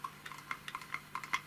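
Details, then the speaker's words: Podolsk hand-operated sewing machine hand drive after filing a gear part to cure factory-defect knocking: light uneven clicks as the crank turns the gears, no knocking or crackling; hand drive now runs normally. "Ну вот смотрите ничего не тарахтит ничего не звенит всё отлично с ручным приводом разобрались тоже"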